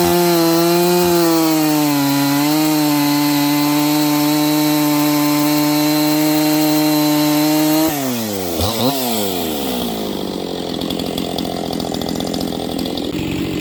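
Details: New Husqvarna 268XP chainsaw during break-in, first cuts in wood: high steady whine wavering up and down in the cut, slowing down and speeding up, then dropping off; rpm surging under load as the fresh saw wakes up, cause not confirmed.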